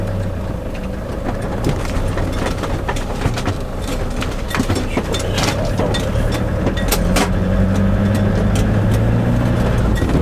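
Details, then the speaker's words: 2002 Iveco Daily camper van with a new prop shaft UJ and centre bearing, driving with the window down: diesel drone and road rumble rise with speed, no squeak from underneath. The old horrendous squeak is gone; driveline normal. "I've not got the horrendous squeak anymore"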